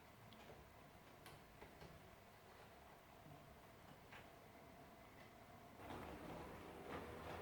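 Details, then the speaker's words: Class 56 model locomotive (new, recently bought), test-run on the track after earlier issues (suspected fan problem or needing running in); soft even hum with light track ticks, no rattle or fan buzz. Now runs smoothly and healthily. "So I'm just going to let her run a little bit. She's as good as gold now. I'm still test running her."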